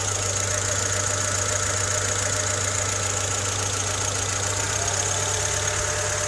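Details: Honda Civic EK3 with D15Z6 engine at idle: even idle with a faint, irregular knock roughly three or four per second under a hissy top end; engine knock, cause unclear.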